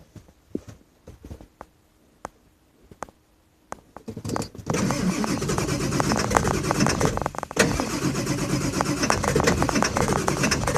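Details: 2000 Ford F550 with the 7.3 diesel, start at about 60°F, owner says it needs new injectors: slow, uneven cranking for about four seconds before it catches and settles into a rough, clattery idle; hard start, cause not confirmed.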